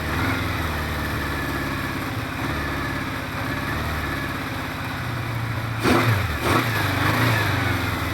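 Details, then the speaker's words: 1973 Honda CB500 Four, recommissioned after long disuse, carbs reassembled, engine a bit worn and uneven across cylinders, exhaust temperatures 80+ within ±15°: runs evenly on all four with clean blips; sounds good, idle screws still to set by emissions. "Sounds good, so I'm happy with it. It just needs sorting out the idle screws here on each cylinder, but I'm going to measure the emissions and set it by that because the engine is a bit worn."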